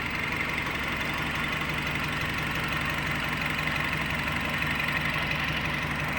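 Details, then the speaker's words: Nissan Livina after the oxygen sensor error or reversed wiring was corrected and idle learning was completed: a steady, even, smooth idle with no stumbling, where before the idle had randomly gone rough. "ini mesinnya sudah tenang tidak ada lagi seperti tadi"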